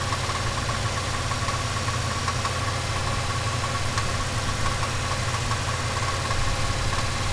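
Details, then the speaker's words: Turbocharged 5.3 V8 Chevelle engine with a steady hum and faint, irregular light ticking over it as the revs fall toward idle. The rattle is also heard around 2,000 rpm and has grown louder with driving; its cause is unknown. "that it's noisy on uh when it revs down too"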